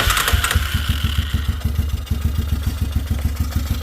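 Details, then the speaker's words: 2005 Yamaha Wolverine 350 ATV engine, hot, idling after valve lash adjustment for valve train ticking: steady even thump, no more ticking or clacking, valve train now quiet; normal idle. "Oh, look at that, nice and quiet finally. No more clacking."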